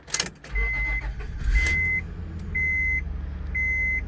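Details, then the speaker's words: 2004 Honda Pilot 3.5L with a new, apparently aftermarket, replacement fuel pump, brought in as a crank no-start with a dead battery, now with the fuel pump powered: engine catches and idles smoothly while a warning chime beeps about once a second. "So guys, it's actually running pretty smooth. Oops. Yeah, it's actually running pretty smooth."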